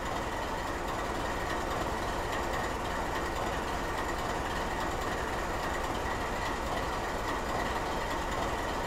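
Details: GE 7FDL16 diesel in skip-fire mode at idle: a low, steady rumble with a slow, uneven pulse and no knocks or grinding; it is running normally.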